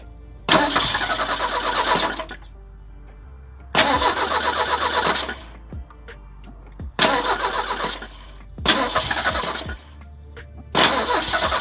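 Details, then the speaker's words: 1985 Merkur XR4Ti 2.3 turbo in cold weather, after new plug wires and spark plugs: four bursts of fast cranking that never catch, a crank no-start later found to be caused by bad gas. "Well, unfortunately, it did not start."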